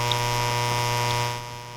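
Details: Electric bicycle battery charger radiating loud steady buzzing hum with dense comb of tones over receiver hiss, heard in AM mode on ham radio a few hundred feet away, about -85 dBm; switching charger RF interference before fitting EMI filter.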